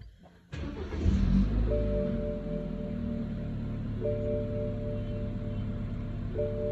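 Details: 2013 BMW 328i, starting up in Park: a thin, steady whistle over the idle, and the engine starts shaking. The cause points to a vacuum leak at the PCV (crankcase vent) valve.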